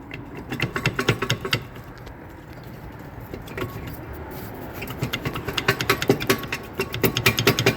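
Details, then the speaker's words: Car driven after another shop skipped pads and rotors and fitted a used hub bearing, ABS light still on: rhythmic metallic scraping pulses several times a second with wheel rotation; rear brakes grinding metal-to-metal plus a worn hub bearing. "Hence the ABS lights still on. Hence that the back brakes are now grinding. Hence that the hub bearing that is guided."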